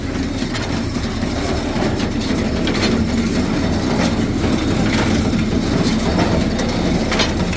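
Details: Old square baler running empty off an LS tractor PTO after repairs, with a repaired PTO shaft and freshly lubed chains: quick, steady mechanical clatter about four beats a second with a light rattle; normal smooth, even running.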